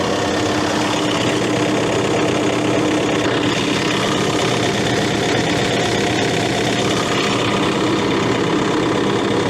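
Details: Case CX80 excavator diesel after the turbo swap, throttle set to idle: a steady, even idle with no knocks, misses or surging; running smoothly.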